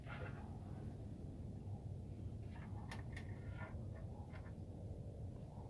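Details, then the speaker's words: 2004 Dodge Ram 1500 SLT with the 5.7 L Hemi, after replacing an alternator whose worn bearings were noisy: a low, even V8 idle with no whine or bearing growl. The alternator noise is gone and the idle is normal. "so this is the pick so there's no more noise uh coming from the alternator so i guess uh this would be the pick"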